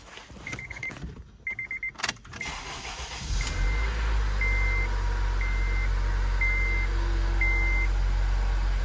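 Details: 2010 Acura RDX 2.3L K23A1 turbo engine after turbo replacement (P2263), coolant 50/50 refilled and bled: catches after short crank, settles into steady even idle with faint repeating chime; healthy start.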